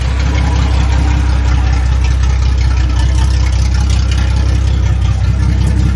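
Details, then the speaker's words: Restored Datsun 260Z test run on non-ethanol fuel, water-only coolant, reading 158°, small lower radiator hose leak: loud deep steady idle, even pulses about four a second through open header; purrs, runs clean. "Yeah, she purrs."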